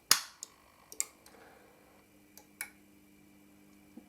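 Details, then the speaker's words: Toroidal transformer soft-start circuit powered through a dim bulb tester: sharp relay click, lighter ticks, faint steady transformer hum; inrush still present but much reduced, normal soft-start relay engagement. "not much of one there still will be inrush current but it'll be a lot more limited"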